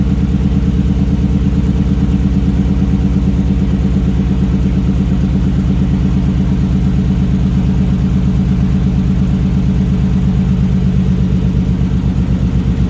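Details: 1968 Ford Bronco with F-150 V8 running a Mustang tune, after valve cover O-ring resealing and an earlier fuel filter problem; deep, even idle burble with no misses, knocks or ticks; running mostly right, a little too rich from the tune.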